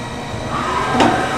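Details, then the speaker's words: 1995 Okuma & Howa Millac 511V CNC vertical machining center: the Z axis jogs with a smooth, even, quiet servo hum and a soft rising tone, sounding healthy; the X axis, by contrast, is noisy. "z-axis very nice quiet smooth strong everything you hope to hear"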